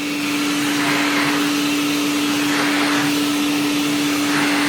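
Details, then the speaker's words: IEC Compact Electra Model C8 vacuum after a new motor install, running on the floor: smooth, steady motor hum with clean constant pitch and even airflow rush, no rattles or bearing whine, healthy. "we'll give it a go that's it that's the noise to make so much better"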